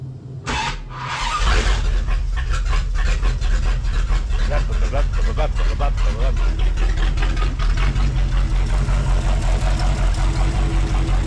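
The V8 catches and settles into a loud, lumpy, uneven idle with a stumbling beat; it misfires from plug wires swapped out of firing order.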